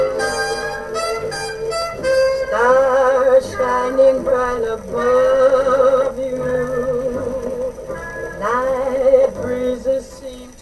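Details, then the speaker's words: Genalex radiogram with rebuilt original crystal phono cartridge, volume about halfway: record plays thin and quiet, no bass, dull top, wavering gritty melody; very low, distorted output, owner unsure whether a short, bad connections or the cartridge itself. "That sounds terrible. Very low output and distorted."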